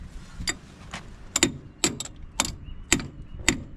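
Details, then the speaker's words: 1957 Case 310 Terratrac loader, idle over 20 years and thought seized, cranked on a makeshift wired battery: slow, labored starter clunks about twice a second. Engine turns a little, so not seized, just too few amps; 6V battery needed. "um the motor's not ceased it's just low too low of amps I mean yeah okay we just got to get 6vt yeah it turned over a tiny bit"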